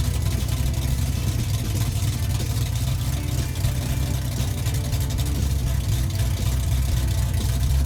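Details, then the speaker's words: Engine on uncapped open headers before 3-inch exhaust is fitted, revved with throttle blips during restoration: loud, deep open-header rumble, crisp blips, strong even beat; engine pulls cleanly and sounds healthy, normal revving. "This Yeah. sounds nice, doesn't it? Oh, it sounds great."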